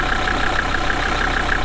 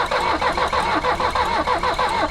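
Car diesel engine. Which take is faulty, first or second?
second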